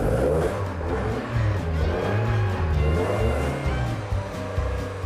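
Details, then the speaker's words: 1979 Lotus Esprit S3 being recommissioned, revved after fuel pump priming with about 60 oil pressure. Crisp revs climb and drop cleanly with an even exhaust beat and no tapping or rattles; the engine sounds healthy. "It's a sweet sound, made even sweeter by us not having to resort to extensive work."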